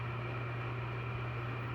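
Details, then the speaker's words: Bathroom exhaust fan that had been humming, after its motor was replaced: a steady, quiet, powerful low hum with a soft airy rush and no rattles. "nice and Powerful quiet all right so that's how you change out a motor quick easy and definitely affordable"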